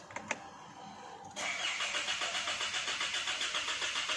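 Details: Isuzu Mu-X with check engine light, crankshaft position sensor circuit code, zero rpm reading and harsh shift shock: starter churns about four beats a second for three seconds without catching, long cranking hard start; dirty crank sensor suspected, not confirmed.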